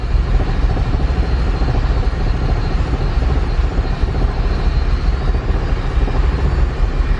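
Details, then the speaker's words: Built turbo K24-swapped Honda Civic EP3 (A4 bottom end, rods, pistons), Hondata KPro, first start after adding TPS: fuel pressure present but idle very low, lumpy and hunting near stalling, air-fuel very lean from undersized injectors. "we have fuel pressure idling really low air fuel is really lean"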